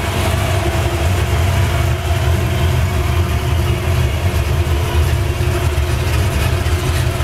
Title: red 82 chevy. rough idle